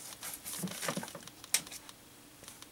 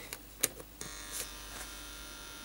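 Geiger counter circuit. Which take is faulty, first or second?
second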